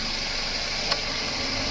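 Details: Toyota Wish AC compressor after system flush, new compressor oil, belt and compressor pulley bearing, compressor previously noisy; engine idles steadily with a smooth compressor hiss and no grinding, knocking or whine, sound within normal range.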